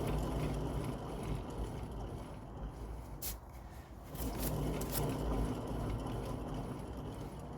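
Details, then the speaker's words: 1992 classic Mini, jacked-up offside (driver's) rear wheel spun: low, gritty, steady rumble with no knock and no play; rear wheel bearings gone dry and worn out, to be replaced. "Pretty nasty. So what's happened there is the bearings have gone dry and they've just worn out basically."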